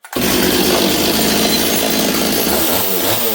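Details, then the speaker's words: Stihl 026 chainsaw, already warm, previously leaning out badly when cutting; carburettor deliberately set rich, held at high revs with burbling, uneven blubbering four-stroke instead of a clean scream. "okay you can see this thing's a little Rich right now I set up the carb so that it would really blubber cuz I wanted to hear it blubber"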